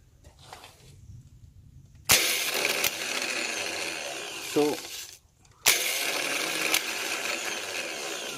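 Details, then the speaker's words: Rebuilt starter motor, bench-tested outside the engine after repair: two even bursts of high whirring spin, each a few seconds, no grinding or stumbling; starter now functioning okay. "so that the motor is now functioning okay"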